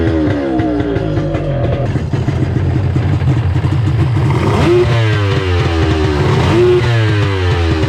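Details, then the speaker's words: 1994 Sea-Doo XP after a 1200 engine swap with a homemade water box: loud, raspy two-stroke triple revving up and settling back with crisp, even throttle response; runs well despite one leaking carburetor. "wow this thing sounds mean yeah i tell you it sounds cool"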